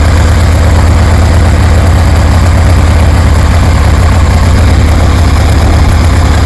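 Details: 1973 Harley Sportster V-twin with CV40 carbs installed; deep, loping burble at steady idle, even and strong with no misses or mechanical clatter, sounds healthy; still needs a little fine tuning.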